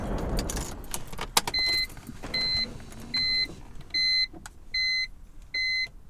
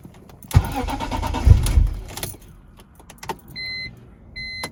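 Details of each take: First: Normal start on a BMW E46 M3 after fuel injector cleaning, which followed fuel pump and filter replacement for a first-crank no-start: chimes, then the engine catches immediately and settles to a steady idle. It has started first try for days. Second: BMW E46 M3 that cranks without starting on the first try but starts on the second: short crank that catches, then a quiet idle with door chimes. The fuel pump, filter, relays and fuses are already done; fuel delivery and the injectors are suspected.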